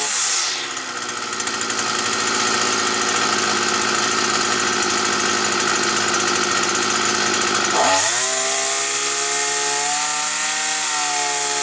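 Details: Petrol brush cutter that used to start, then cut out; a bent crankshaft was found. After the repair a steady high buzz, then a smooth climb in revs with no surging, and the carburettor responds better to tuning: normal running.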